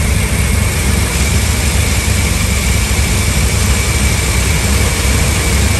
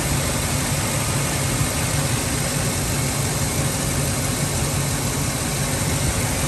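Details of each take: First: Ford F-350 5.4 V8 on a cold start with no check engine light: deep idle hunting up and down as if about to stall, then catching; a broken, detached air breather was found as the cause. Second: Ford F-350 5.4 V8 that idled sporadically and stalled at cold start, after refitting a broken, detached air intake piece: steady even idle, constant low rumble, no hunting or dips.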